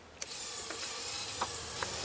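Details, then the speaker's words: Casio CP-10 thermal printer mechanism (same as FP-12) driven by a Blue Pill via transistor: click at switch-on, then steady high, even whirr as the motor spins up normally. "you can see that the motor actually starts running."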